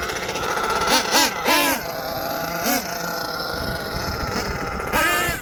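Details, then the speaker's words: HPI Savage XL twin nitro truck with Twinzilla kit: sharp revving bursts rise and fall unevenly, one engine racing ahead before the other catches up; motor 2 out of sync, unmatched RPMs, before linkage set and tune. "Yeah, and then the second thing that went wrong, motor number 2 was totally out of sync. I want you guys to listen for it, because what you're going to hear over there is what a motor out of sync sounds."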